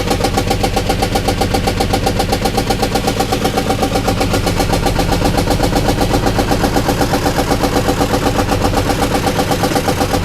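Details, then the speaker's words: Rescue car engine running: loud uneven idle pulsing about four times a second, lumpy but not a true knock; owner thought it sounded like a miss, later smelled coolant and suspects blown head gasket, unconfirmed. "it's an interesting noise it's not really like a a knock it's I don't know almost sounds like there's O2 missing or something"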